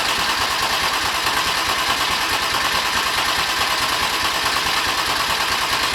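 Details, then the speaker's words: BMW M50/M52 straight-six turbo build, already filled with oil, cranked before its first start to bring up oil pressure: even, rhythmic starter churn that never fires; engine turns over steadily and normally. "And the engine already has oil in it so we can start cranking it to bring up the oil pressure."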